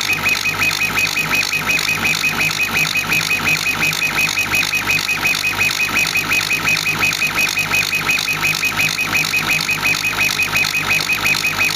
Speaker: Might actually be able to hear the squeaking, beeping noise. That's actually the pulse width modulation of the laser. And you can actually hear it when it's blasting away material.